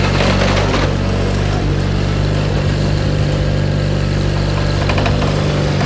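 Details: 1987 John Deere 420 garden tractor, 20 HP Onan gas twin, 1897 hours, running: even, steady low-pitched thrum with no misses, knocks or surging; normal, healthy running.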